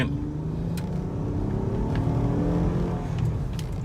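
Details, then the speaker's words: 2012 Honda Pilot on a pre-purchase inspection road test: engine note rises smoothly and evenly as speed builds, with only road and tyre hum behind it; normal acceleration. "so a good acceleration again coming to a stop"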